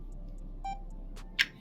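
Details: Boblov F2 2K body camera in standby mode: pressing the photo button gives a single short electronic beep with a click over faint room hum, confirming a photo was taken.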